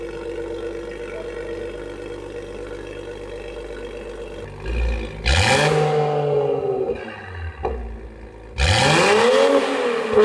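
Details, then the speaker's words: A90 Supra with a newly fitted GTHAUS GTC exhaust, replacing one with a snapped exhaust valve flange. Smooth idle, then two sharp blips where the pitch climbs and falls cleanly, with a deep, crisp exhaust note and no rattles: normal exhaust note. "That sounds crazy. He almost blew out his eardrums. Guys, the exhaust is crazy."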